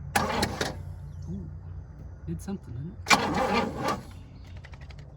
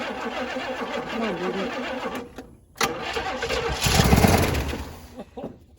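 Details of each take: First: 1966 Pontiac Grand Prix, 389 four-barrel V8, sitting since 1992, cranked via remote starter at the solenoid: two short cranking bursts with even regular compression pulses, no flat spots; compression sounds healthy. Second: 1966 Pontiac Grand Prix, 389 V8 with a four-barrel, sitting since 1992: steady starter cranking at about four turns a second with weak, ragged firing that never catches. Fuel starvation from a clogged fuel filter and contaminated old fuel.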